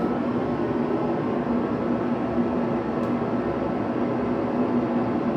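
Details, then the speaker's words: Garage heater with its front plate red hot, measured at about 70–73 dB: a smooth, constant low rumble with a faint hum and no pulsing, maybe louder than the previous heater but deeper-sounding; normal burner operation. "I think 70 73 I think it's a little bit louder than what that one was I don't remember that I don't remember what I just registered on that one but like I said the sound it might be a little bit louder but it's a much deeper sound so it's nowhere near as annoying"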